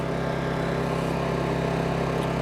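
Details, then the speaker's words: New Honda EU2200i inverter generator just started, choke off and ramped up: smooth, even engine drone at constant speed with no misses, knocks or hunting; running healthy and very quiet. "Pretty quiet. I mean, even for me, I've never had a generator before, but I don't imagine you could build it much quieter than that."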